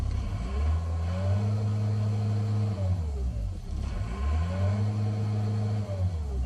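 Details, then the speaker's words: ASV 2800 track truck, 75 HP Isuzu diesel, 5,600 miles, 900 hours: diesel clatter rises and falls cleanly as the throttle is blipped twice, no hesitation; healthy, strong revving. "don't know if you can hear that, but you can just feel the power behind this motor."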